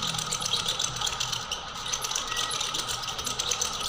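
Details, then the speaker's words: Ceiling fan making a lot of noise, heard before repair: steady rattling hiss at a constant pitch that never changes while running; the fan bearings are worn and need replacing. "काफी ज्यादा sound कर रहा है यदि आपके पास भी कोई ceiling fan है और यदि ये इस तरह से काफी ज्यादा साउंड कर रहा है"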